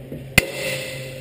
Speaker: Okay, hear that pinging? That means you're up against the jam, right?